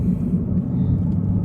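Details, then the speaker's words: Chevy Cruze on test drive with a badly worn driver's-side front wheel bearing: steady low droning roar under road noise at cruise, louder and more pronounced when turning right. "put that roar that really loud kind of roaring noise you're hearing that is a wheel bearing"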